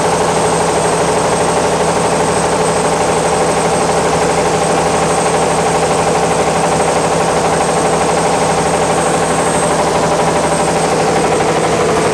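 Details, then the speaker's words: Caterpillar D8H cable dozer, first start after sitting 15-plus years, pull-started: heavy diesel roaring flat out with a piercing high turbo whine; the fuel won't shut off so it can't be stopped, oil pressure pegged; water in the cooling system to be checked. "Well, I don't know why the fuel's not shutting off to it, but let's open that cap again and see if we got water."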